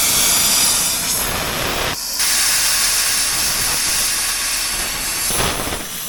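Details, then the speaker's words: Steady oxygen cutting torch hiss with a brief dip while cutting steel on a Kenworth W900L tri-axle dump truck, halfway across the cut. The cutting blast is weak and uneven from a clogged tip, used without replacing or cleaning it. "all right I made it about halfway across this is ridiculous I should have went and got a new tip I can't even find the torch tip the tip cleaner"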